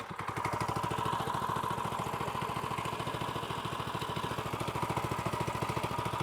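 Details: Newly swapped small single-cylinder pull-start go-kart engine with new CVT, fuel toggle just switched on, runs a quick even putter at steady idle with only light valve clatter; runs normally.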